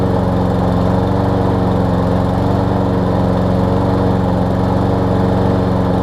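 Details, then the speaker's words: Lawn Boy push mower, 20-inch deck, Briggs 675 engine, low on gas, sometimes won't restart warm: starts on first or second pull, steady single-cylinder drone with flat, thin note, running lean; dirty carburetor later cleaned. "so again start something starting on the first pull or second pull runs good sounds like it's starving for fuel starving for air a little bit so it's one of two things and we're gonna check the air filter together here"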